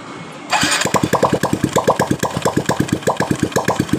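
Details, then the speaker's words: Honda Absolute Revo that is rough when cold and smooth when hot, started cold with the engine open: a harsh, regular clatter of about eight beats a second from the right-side clutch case; worn, misaligned clutch-side gear. "Ketika dingin suara kasar tapi ketika panas motor ini tiba-tiba langsung suara halus"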